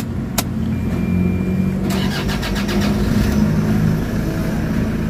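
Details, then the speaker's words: Toyota Fortuner after fuel system repair: cranks a little long before catching, then settles into an uneven idle; slow restart, a small amount of air still in the fuel system, expected to clear with running. "medyo may hangin pa rin konti pero natatagalang andar andar mawawala na"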